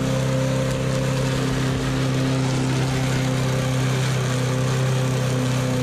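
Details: Used push mower, small single-cylinder engine that had a very loose spark plug: starts easily and runs with an even, steady hum, constant low tone, no knocking or surging; normal healthy running.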